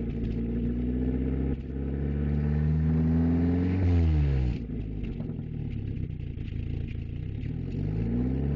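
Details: 1994 Volkswagen Jetta engine revving up and dropping back with uneven stumbling beat and occasional hiccups; owner unsure whether misfire or backfire, cause unknown.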